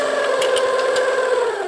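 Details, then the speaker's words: 1990s Kenmore sewing machine: motor whirs with a steady mid-pitched hum but no stitching rhythm, needle not moving; gearbox believed to have failed. "but now as you can see nothing is happening you hear a bit of a motor difference the sound when you turn this listen to it so i don't know what the problem is with it"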